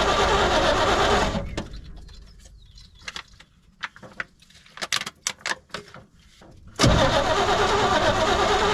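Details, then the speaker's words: 1972 C20 pickup stored over 20 years, cranked with choke and a squirt of lawnmower gas: the starter churns, stops, then cranks again without catching. Owner suspects lifters bled down, causing lost compression. "well sometimes when they sit this long the lifters bleed down and you lose compression"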